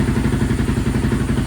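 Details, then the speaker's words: Honda TRX 700 single-cylinder with Vortex ECU, airbox lid removed after water found in airbox: uneven, lumpy pulsing at low revs, surging and stumbling; owner suspects flooding, a little rich on the bottom end. "It still don't seem perfect. It seems like it's maybe flooding itself out, like it's a little rich on the bottom end."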